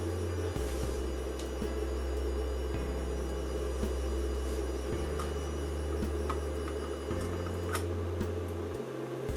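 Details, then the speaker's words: Inverter bring-up test, channel A enabled and PWMing at low frequency (current about 27 mA, nothing hot): low buzzing hum stepping between pitches every couple of seconds with faint hiss; PWM switching noise. "So it looks like all that noise is coming from enabling the A channel, which is where the PWM is happening."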